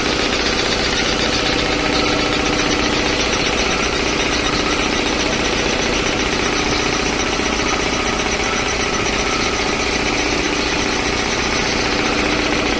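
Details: 3 HP LG-model air compressor after service (belt, filter, oil indicator and oil changed): steady, even pumping chug at about two and a half beats a second, no knocks or squeal; running normally.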